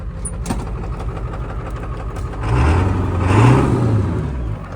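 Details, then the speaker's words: Ford Powerstroke diesel truck, pull-started because the starter or solenoid is junk, catches after cranking, rises briefly, then settles into a steady, even low rumble and runs well; one injector was found improperly torqued and others had black, possibly clogged tips. "Got it. Got it. That runs good. Woo. Damn. That runs good."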